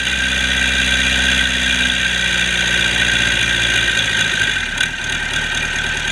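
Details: Cummins 4BT 3.9L turbocharged diesel on test run after customer repair: steady idle with even clatter and constant high turbo whistle; no knocks or misses, runs healthy.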